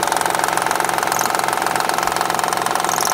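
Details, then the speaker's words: 2007 Honda Odyssey Touring 3.5 at steady idle: sharp, even ticking about twice a second from the timing belt end. Damaged timing belt tensioner with the belt moving side to side; tensioner and timing belt replaced. "vamos a ver en dónde está el ruido ahí está el tensor el tensor es capaz en el ruido se siente que aquí se acaba y ahí está el ruido"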